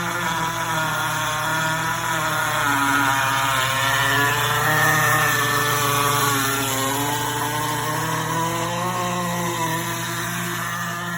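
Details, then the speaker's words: GE Profile Opal 2.0 countertop nugget ice maker while making ice: a loud, steady motor-and-fan drone with a busy mix of pitches, louder than its usual sound; cause unclear. "The ice maker is making this bigger sound."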